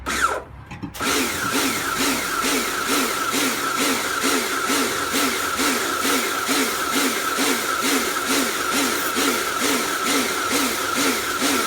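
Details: Kärcher pressure washer rebuilt from a B202 and a K2 14 (frost damage, motor failure), first test with water on: motor hum swells and fades about twice a second while spraying; pressure pulsing under load, cause unclear though cleaning works.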